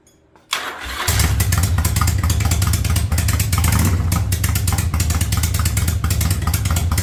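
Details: 1985 Yamaha Virago V-twin with a single-carb conversion, cold start on choke: it catches straight up and settles into a steady, lumpy idle with no misses, later set to about 1000 rpm. It runs fine.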